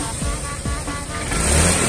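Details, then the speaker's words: Honda Vario fuel-injected scooter after ECU reset, previously hesitating and stuttering on initial throttle from weak fuel pump pressure: short throttle blip, revs climb smoothly and promptly with no stumble; responding cleanly. "mantap dia langsung merespon ya sangat bagus responnya"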